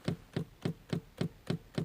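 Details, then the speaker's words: Renault Scenic 3 in the garage after the steering rack was tightened, hand pressing lightly: dull evenly spaced knocks in the steering column, about 3.5 per second; owner suspects the steering shaft U-joint, not confirmed. "вот еще где стук идет чуть чуть нажимаю рукой"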